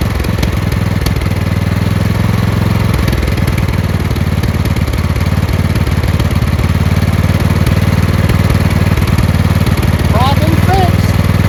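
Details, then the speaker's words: Craftsman LT2000 lawn tractor after the fuel line from the filter to the carburetor was replaced. It still surged a little until the fuel solenoid was cut off. Now it holds an even, steady single-cylinder idle with no surge. "I'm going to cut this fuel solenoid off. That's an idle. No surge."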